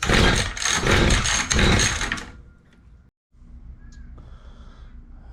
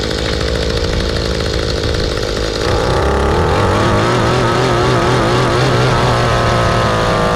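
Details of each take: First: Mantis two-stroke rototiller after carb cleaning, primed, not choked: fires in a few ragged bursts for about two seconds, then dies; very wet spark plug shows flooding, with the carb mixture screws needing cleaning and adjustment. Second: Mantis two-stroke rototiller after carb cleaning, a new fuel line and spark plug, limiter caps removed, low screw under a turn out and high screw about a turn out: steady buzz that picks up cleanly to a higher even speed and holds; runs properly.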